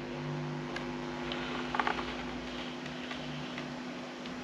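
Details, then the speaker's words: Rega Planar turntable system after moving the deck away from a noisy device: quiet steady hiss from the phono stage with only faint low hum and a few light ticks, no buzz; normal low background hiss. "can still hear a bit of background hiss, because the phono stages do have a bit of background hiss, but the hum is pretty much gone."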